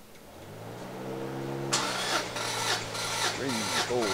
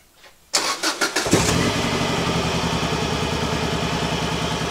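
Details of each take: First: Subaru GC8 version 3 STI with a misfire after an overheat, cranking during a throttle-closed compression test with plugs out: steady even cranking about four beats a second, no stumbles; all cylinders read just over 1200, compression good. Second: Subaru GC8 version 3 STI with a misfire that began after a reported overheat; an uneven, choppy, stumbling idle after start, which seems to smooth out slightly with more throttle. A compression test follows.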